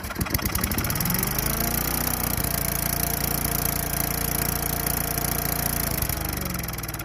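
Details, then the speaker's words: Craftsman Eager 1 4hp chipper vac small single-cylinder engine with a little fresh gas, primed: catches and runs rough and uneven for a few seconds, then fades as if starving and stalls once the prime runs out. Cause not confirmed. "Prime it some more. See, because it's stalling."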